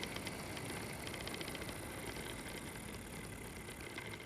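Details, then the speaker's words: Intermittent noise inside a 2023-model ThinkPad laptop used about 10 days: faint steady high whir with light irregular ticking rattles, traced to a faulty internal cooling fan, later replaced. "买的 ThinkPad 笔记本才用了10天左右，笔记本的内部就时不时出现异响声，大家可以听一下这个声音正不正常。"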